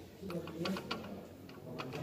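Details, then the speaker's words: Used sedan underbody check: the driveshaft is rocked by hand, giving light irregular metallic clicks and taps from free play. This would cause a clunk on initial pull-away or when turning. Worn driveshaft joint play. "nih got agak kocak ya dengarnya teman-teman bunyinya nah ini juga akan menimbulkan suara hentakan lebih-lebih lagi saat tarikan awal kotak atau saat dia berbelok sedikit patah ini bunyi"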